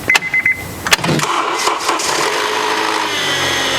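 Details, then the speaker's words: 2012 Honda Accord Crosstour, K24 engine, codes P0341 and P0171: dash chimes, quick crank and catch, then cold-start idle with light metallic rattle; timing out of position, diagnosed by oscilloscope and confirmed by counting teeth at TDC. "There you have it. We confirmed the cold start rattle noise and diagnosed the timing problem using the oscilloscope."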